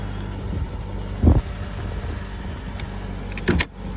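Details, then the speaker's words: 2019 Jeep Cherokee cold start: steady low idle with a few handling clunks and a brief whir; cold engine running evenly, nothing unusual. "Little video of my 2019 Jeep Cherokee. A little cold start."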